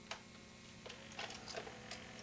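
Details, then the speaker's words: VCR eject test after tape insertion: quiet run of light mechanical clicks and a soft whirr as the cassette unloads smoothly and comes out; normal tape eject. "sounded very good and normal and the tape did come out"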